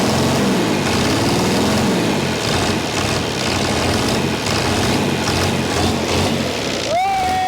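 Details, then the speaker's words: Chrysler diesel (rebranded Mitsubishi 6DS70 marine six), saved from scrap after years in a barn, after bleeding all six injectors: loud, even, steady idle clatter running on its own, firing on all cylinders. "now we're giving this thing a second life not for sure we're going to do with it yet but it runs"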